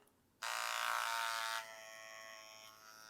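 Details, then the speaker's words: Tatvida rotary tattoo machine at 9.2–9.6: steady high buzz starting abruptly, then settling to a lower even hum with no knocks or roughness; noise acceptable, normal running. "Donc pour ceux qui bossent, ouais, encore une fois, là je suis à 9.2, 9.6. Le bruit est correct."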